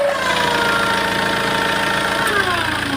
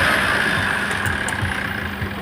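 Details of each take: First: Tata Safari Storme diesel idling, turbo actuator worked by hand pump after vacuum line disconnected: thin steady whistle shifting in pitch with light rattle; mechanic thinks the turbo turbine has developed internal play, turbo appears previously opened. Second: Tata Safari Storme diesel after repair, new turbo core, hose pipe, filters and oil filter fitted, parts cleaned and sprayed: steady even idle with faint constant high whistle, no knocks or rattles, normal idle, engine okay.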